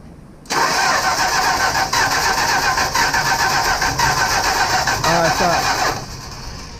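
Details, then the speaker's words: 1965 Plymouth Barracuda that sat for years, while testing a new ground to the control box: steady cranking about four turns a second for over five seconds with no firing; something suspected grounding out somewhere. "see if something's grounding out something is grounding out somewhere man"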